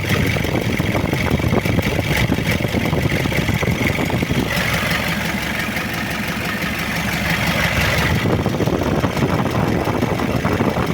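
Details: Diesel engine bought for a car: loud, harsh idle with a dense clattering rattle that swells slightly mid-clip. Rough engine noise, cause not identified; the advice is to return it to the seller.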